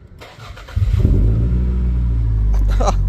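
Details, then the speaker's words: 1998 Toyota Celica GT ST202 after tightening exhaust clamps, cranks and catches into a loud deep idle rumble, still sounding the same; exhaust leak, worse on throttle. "Shocking, it's still loud and sounds the same."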